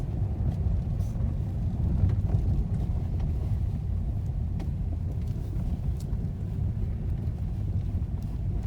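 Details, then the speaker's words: 2018 Lada Vesta Cross after taping the dashboard panel to stop squeaks, knocks and vibration, driving on a rough road: steady low cabin road rumble with faint ticks only; the dashboard knocking is gone. "но это не всегда было сейчас стать этого звука вообще нет долбежки"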